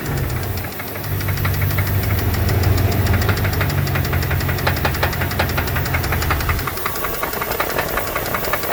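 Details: 2002 Dodge Dakota 4.7 V8 idling: quick, fairly regular light knocking over the low rumble; owner suspects lifters or piston slap, cause unconfirmed.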